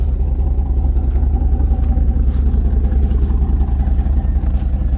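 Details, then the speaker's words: Z28 Camaro (LT1) just bought, overheated earlier, tailpipes cut off behind the muffler; rough lumpy idle with an uneven beat and loud low exhaust puffing, a decent miss and a heck of an exhaust leak; misfire and exhaust leak. "it's got a decent miss but it's got a heck of a exhaust leak too"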